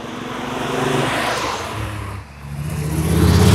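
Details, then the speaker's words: VW Golf 4 fake R32 with swapped-in VR5 engine, first test drive after conversion, heard from outside as the car passes: note rises but sounds ragged and uneven, stumbling on acceleration like a misfire and running rough; cause not yet known. "ja wir sind zurück in der Halle und man sieht es sogar dass der Motor nicht wirklich rund läuft"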